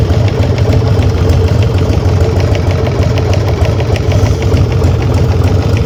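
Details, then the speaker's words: Harley-Davidson Sportster front-cylinder knock that began at the end of last season and persisted after an oil change, recorded with the bike raised and run up to about 40 mph: a sharp ticking knock about three per second over a steady rumble. Source not yet pinned down. "Вот теперь вы поняли откуда идёт звук а то есть он явно идёт из вот этой части причём слышно его на ходу"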